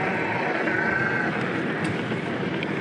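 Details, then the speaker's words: 2021 Haibike All Mtn 7 e-MTB riding after the creaking and squeaking frame fix; only a steady tyre and wind hiss is heard, with no creaks or clicks, so the bike is now silent. "no more squeaking i'm so happy guys honestly she's absolutely silent"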